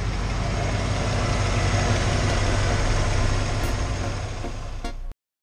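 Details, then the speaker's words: 1993 Ford F-150, 5.0L V8, 88,000 miles: deep, even idle burble with no shake or thumping after replacing the harmonic balancer; the death vibration is gone, balancer confirmed as the cause given the damaged keyway. "that's where you say screw it and the death vibration is gone so that balancer was definitely the issue and that's pretty apparent by how the keyway looked"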